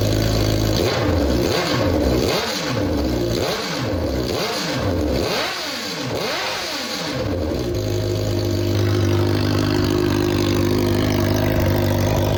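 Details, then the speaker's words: Suzuki GSX-R1000 after a full rebuild, first run after every fuel injector was removed and cleaned by hand for clogging: about six clean throttle blips, then a steady even idle with no misfire or stumble; runs great. "So, we got the injectors put back in and we just crank it up for a minute or so and it runs great again."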